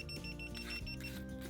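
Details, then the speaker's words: Guardian wireless water leak sensor in a basement, tested with water to see if it closes the main valve; rapid, repeated high-pitched beeps over a low room hum as the sensor detects water and the valve closes automatically. "guess it's good that it's annoying, but nevertheless, seems that when it's automatically set up to when any one of these detect water, it will automatically close the valve."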